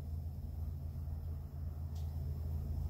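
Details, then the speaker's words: 2008–09 Hyundai Santa Fe CM, 250,000 km, idles with a heavy, uneven clunking rumble and whole-car vibration; the alternator's overrunning pulley has seized, so the belt fights the engine; the alternator was replaced. "아 , 이 경우 에는 벨트 가 엔진 의 동력 에 반하여 회전 하고 있는 거 군 요 . 그래서 차체가 그렇게 심하게 흔들리는 겁 니다 ."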